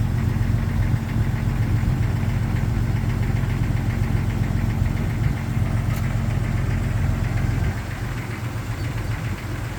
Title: 1999 Jeep XJ Cherokee Cold Start Piston Slap